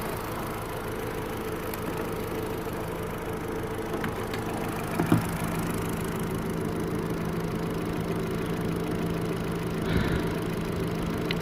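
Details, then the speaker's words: 2005 Chevrolet Astra that overheated and pushed coolant, after replacing one fan relay: steady idle with even fan rush, no rattles or cutting out, both cooling fans now running; normal cooling fan operation. "ahora si funcionan ambos ventiladores"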